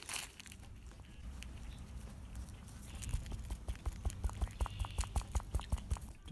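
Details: 2019 Subaru Outback removed sway bar (stabilizer) end link worked by hand after suspension noise: dull loose clicks about twice a second from its worn, sloppy ball joint; replaced with new link using 17mm bolts.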